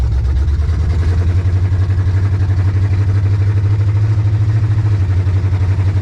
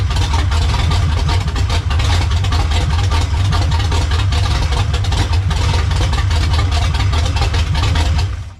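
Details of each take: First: Monte Carlo on a test drive shifting through the gears: lumpy, uneven idle pulse with occasional stumble; slight miss, and owner suspects too much or too little fuel, cause not confirmed. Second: Monte Carlo, slightly warm, after swapping carburetor and distributor from a parts car to fix a long-crank start problem: runs at a steady, even idle about eight seconds, then switched off, no misfire or stumble; carburetor not yet tuned.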